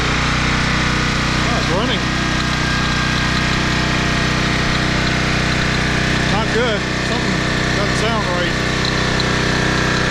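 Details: 2010 Toro Recycler Personal Pace 20333 mower, first start on a new carburetor botched by previous owner (stripped choke screw, makeshift bolt): runs fast with a steady high drone and wavering surging note, revving too high; cause not confirmed.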